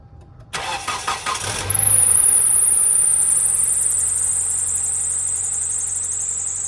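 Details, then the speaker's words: 2010 Kia Soul: the starter cranks, then a loud, high, steady belt squeal continues at idle. It happens every startup, sometimes lasts miles, and steering is stiff in turns. Power steering belt problem. "And what's wrong with this car today is that every time I turn the car on, it makes a squeaking sound."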